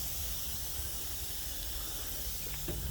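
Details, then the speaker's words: 2012 Volvo truck idling quietly: soft, steady hiss of escaping air at the rear; owner suspects a relief valve, possible small air leak, cause not confirmed. "Something's hissing back there, but it might just be a relief valve."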